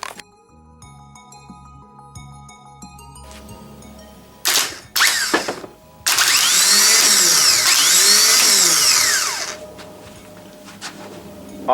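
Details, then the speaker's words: Replacement starter from a W58 1JZ/2JZ application, bench-tested before fitting to a 1JZ-swapped Supra: loud high-pitched whir spins up, holds about three seconds, winds down, spinning freely. Normal starter motor spin. "looks like we have a good starter"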